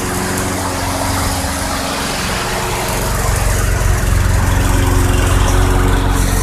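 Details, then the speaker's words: 2006 Craftsman 917.376160 push mower with 6.75 hp engine, found roadside and rusted out, running on 90-octane ethanol-free fuel: smooth drone picking up a little speed partway and staying even, no misses or knocks; engine great though the deck is not reusable. "unfortunately the lawnmower itself will not be able to be used again because it is really really rusted out but the engine is great"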